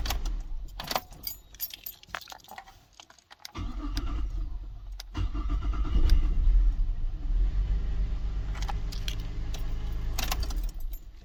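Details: 2006 Holden Berlina with a bad ECU causing no crank no start, started using a workaround: keys jingle, starter cranks briefly, engine catches cleanly into steady idle; normal start.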